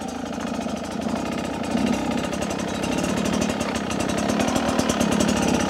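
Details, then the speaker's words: Beta 250 two-stroke, pivoting over an obstacle at low speed: slightly irregular popping as the throttle opens, with an uneven ascent of power; jetting change planned to clean it up. "a little bit uneven stalli even that input there as I kind of pivoted over that concrete ballast you could hear it's almost a uneven increase or an uneven Ascent of power"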